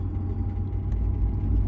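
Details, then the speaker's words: BMW E86 Z4 3.0si Coupe while driving: low rumble with a thin steady whirr; goes away when the shifter is lifted; owner suspects the shifter resting on the propshaft, unconfirmed. Rubbing noise. "it feels like the shifter is resting on the prop Shaft or something that turns"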